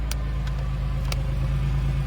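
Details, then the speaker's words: Chevy Lumina Euro 3.1 V6 just started on a battery after sitting about 10 years: deep, even, healthy idle rumble with light clicks; owner also hears a pulley whine, possibly water pump, alternator or power steering. "Nice! Sounds healthy. Sounds super healthy. Get that nice rumble that all these 3.1 cars do."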